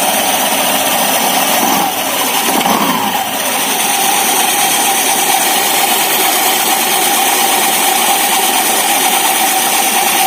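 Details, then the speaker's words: Honda Vario 150 scooter with CVT cover open, idling, rear clutch checked normal: rough raspy drone with gritty hiss from the belt case. "Jadi bagi Anda yang mungkin memiliki Vario atau Beat, jika sering mengeluarkan suara kasar seperti ini, jangan panik, periksa dulu karet sabuk kipasnya. Periksa apakah sudah aus atau sudah waktunya diganti."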